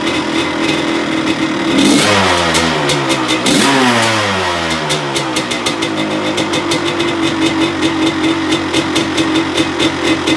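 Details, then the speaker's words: 1985 Honda CR250 two-stroke, rebuilt after low compression (honed barrel, new piston, crank and gearbox seals, new inlet manifold): crisp revs climbing and dropping cleanly, then a steady crackling idle with even firing; it runs healthy. "okay so she sounds good it goes through the gears"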